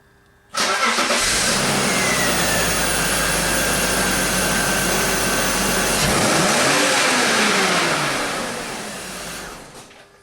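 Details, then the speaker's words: BMW X5 (wife's car, mass airflow sensor swapped from another car) with ignition scope on cylinder 1: startup then wide-open throttle, catches cleanly and revs hard without stumble; ignition now single-strike, no lean misfires seen — normal startup and revving. "as you can hear it car runs fine mm all right so let's go here we are starting the wide open throttle at this point you can see there's no long no when we at the idler we had a multiple strike ignition system and now it's you know going to a single and I don't see any lean misfires anymore"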